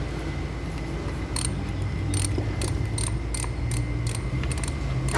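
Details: Honda Civic 12-volt auto relay in the fuse box clicking rapidly: sharp, dry, unevenly spaced clicks about twice a second over a low steady electrical hum; fuse box issue, fixed.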